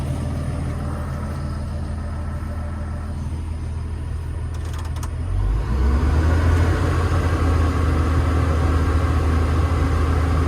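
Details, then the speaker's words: Old 140 diesel machine with about 10,000 hours, just started after a bad-injector fix; steady, even idle rumble that picks up smoothly, no misfire or knock, not much smoke, sounding a lot better. "Not loads and loads of smoke, and the engine, I think you'll agree, sounds a lot better."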